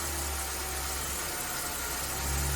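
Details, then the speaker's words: Ford Bantam Rocam small petrol engine idling smoothly and evenly after spark plug replacement, no stutters or misfires, then a couple of revs; normal idle. A faint noise from the power steering pump bearings is present. "No stutters or splattering also in the scene that we're firing well. Couple of revs. Yeah, everything sounds good."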